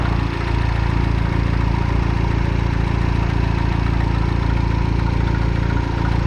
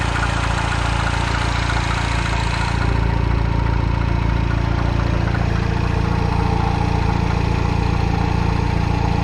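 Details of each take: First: Citroen DS3 after turbocharger replacement, second start: steady, even idle with a regular low pulse, no knocks or rattles; everything dry so far, turbo should now have enough oil. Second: Citroen DS3 after new turbocharger fitted (old one blown, smoking, low power): steady idle with even knock about 3.5 times per second underneath; clunking from below, source not found.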